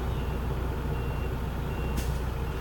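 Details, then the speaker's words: Truck in-cab pre-trip air brake test with water and oil temperatures rising to normal: steady low engine idle, then one short sharp air hiss as the compressor unloads, normal governor cutout at 120 to 140 PSI. "That was my governor cutout. Did you hear it? It was at 120 to 140 PSI."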